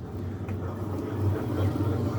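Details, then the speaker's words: Centrales washing machine spin cycle after removing a bra underwire that had caused a strange noise: steady low drum hum with no scraping or rattling; normal quiet spin. "ven? Ya no suena."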